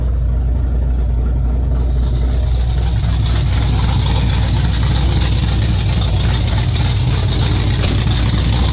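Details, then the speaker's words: 1995 Ford F150 with a freshly built 347 stroker V8, right after first start with oil pressure up: low, uneven idle that stumbles and hunts, barely staying running; carburetor still needs adjustment. "Yeah, you kind of hear it right there. It wants to stay running."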